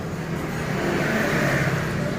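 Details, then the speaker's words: Yamaha Mio scooter revving with a rough, scraping rattle and faint squeal as throttle rises; cause is worn, flattened CVT variator rollers and a damaged roller housing. "motor ini penyebabnya suara mendecit berisik pas digas itu kayak kabur Inya Karena jalur ini rata"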